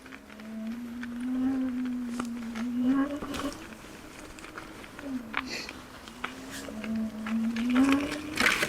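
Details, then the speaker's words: Kingsong S22 electric unicycle (Dec 2022, stator pinned) on a forest trail: a low whine rising and falling with wheel speed under trail noise; cause unknown, rider plans to ask the dealer. "I must say I did hear this other whine. I don't know if you guys can hear it."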